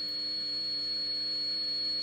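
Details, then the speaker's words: Heathkit IT-12 signal tracer, measured at the speaker coil, volume turned up: steady high sine test tone with low hum riding underneath, AM-like modulation because hum is injected early in the amplifier. "if I crank up the volume now we're gonna hear the sine wave or we're gonna see the sine wave modulated on to this noise like AM watch this"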